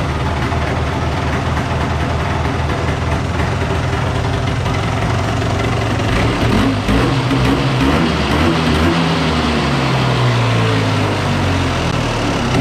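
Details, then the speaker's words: 1993 Polaris Sportsman ATV after carb cleaning to fix fuel leaking from bowl overflow vent, fuel petcock open and no leak heard: catches after brief crank, settles into steady even low rumble, no stumbling or surging; running normally. "I don't hear any fuel leaking, so we'll fire it up and see what happens here. So here we go. Oh. There we go."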